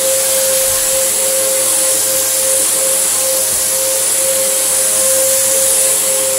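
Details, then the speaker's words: Samsung SU3364 upright 1800 watt vacuum: steady motor pitch with thin whistle and rushing air; airway completely clogged, forcing pressure out elsewhere as an apparent air leak. "that's the enemy this is completely clogged and causing the pressure to come out elsewhere"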